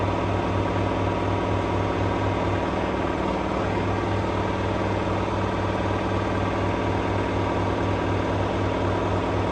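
A steady, even hum at full spin speed with a low, regular throb and no knocks or scraping: the washer is spinning normally.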